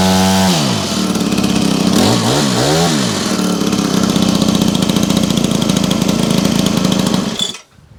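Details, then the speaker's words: Honda HHH25 two-stroke hedge trimmer after carburetor replacement and idle adjustment: blips up and down, then settles to an even, steady fast idle. Idle is better and it runs well. "The idling's better. Seems to be running okay. It's idling at a good speed as well now."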